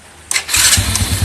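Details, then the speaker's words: Double starter after cleaning a dirty starter armature, with the ground cable refitted, on test start: brief starter whir, engine catches within a second into a steady pulsing idle. The previous "ngek" squeak is gone; normal starter engagement. "hilang kan? Ngek, yes, gak ono ya. Tes lagi tadi. On. Tuh, ngeknya yes, hilang."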